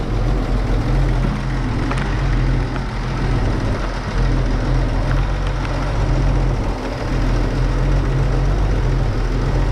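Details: 1931 Oldsmobile F31 barn find, first start after removing cork, likely from the homemade fuel-bowl gasket, stuck in the fuel-pump valve; deep, steady low idle holding an even beat, no stumbling or knocking. Normal idle.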